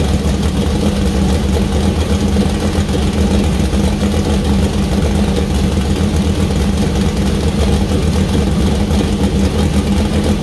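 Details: First start of freshly built 2000+HP LS V8 (Dart LS Next block, Wiseco pistons, Brodix BR3 heads, .750 lift solid roller cam): deep lumpy burble holding steady idle, no ticking or knocking; runs well, small oil leak at cam-driven fuel pump.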